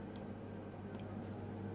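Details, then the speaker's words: Baxi 105E boiler with a no-hot-water complaint, heating mode: soft, steady fan hum with a low drone, ignition, burners light smoothly with no bangs; normal burner ignition on heating. "The first thing I'm going to do is turn the heating on. You can hear the fan running, ignition,"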